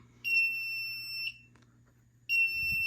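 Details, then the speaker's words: FireLite MS-2 fire alarm panel after pressing reset: high-pitched buzzer sounds about a second, pauses a second, then again; trouble signal for a notification appliance circuit (NAC) fault. "so we're just going to go ahead and press reset so you can hear the buzzer and it should click and do the neck fall yep"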